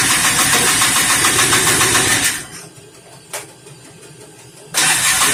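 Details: 1988 Polaris Trail Boss 250 R/ES two-stroke, long stored, cold start on fresh premix fuel with carb cleaner sprayed in: loud raspy buzz cuts out for about two seconds then snaps back; stalls and refires.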